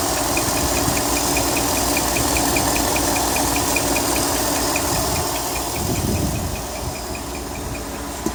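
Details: 2018 Ford F-150 SuperCrew 5.0L V8 at idle, louder on the passenger side. A sharp, high chirp repeats three to four times a second. Cause confirmed as the timing chain tensioner (TSB 19-2140); Ford's SSM says no repair until engineering issues a fix.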